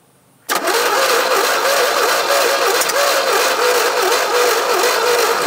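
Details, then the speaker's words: 1975 GMC Sierra Grande, 250 ci straight-six, abandoned for years: starter churns steadily near four turns a second, occasional little pop showing intermittent weak spark, no catch; cranks but won't start, spark suspected insufficient. "so that little pop means there's some kind of spark but it's the same something yeah it's getting a little bit of spark every now and then but not enough"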